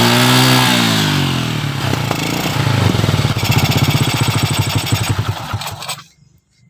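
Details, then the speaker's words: Small single-cylinder motorcycle fitted with a previously dead, carbon-fouled used spark plug, gap widened slightly: starts and runs with a steady even putter before shutting off; plug fires cleanly again. "Nah seperti itu bisa dibuktikan ya, ini bahwa terbukti busi yang mati awalnya mati dan ternyata masih hidup kembali, masih bisa hidup kembali ya."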